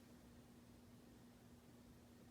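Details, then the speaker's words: Hunter Leighton ceiling fan from 2005 running quietly with faint motor hum and air hiss; a clicking from a sticker tag loose inside the motor has just stopped. "well i guess this one doesn't have any issues anymore the tag just stopped cooking that's good"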